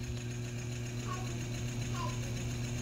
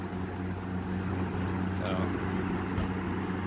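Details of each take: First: Early-1980s Eskimo fan, model 201098, 115 V McGraw-Edison M202EB motor, just after cleaning and reassembly: low steady hum with a soft uneven knock about three times a second while running slow; later reached full speed and the knock went away. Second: Early-1980s Eskimo box fan, McGraw-Edison 115 V motor, after rebuild: after a couple of minutes running slowly and knocking it reached full speed with a steady low hum and even whoosh, knocking gone. Normal running.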